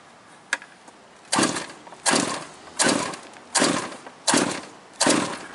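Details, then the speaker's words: Quarter-scale RC GT40 on Rayco chassis with marine engine, after running through water: six rasping pull-cord strokes about every three-quarters of a second, engine never catches; won't start, owner suspects wet plug. "I'm gonna say the plug's wet."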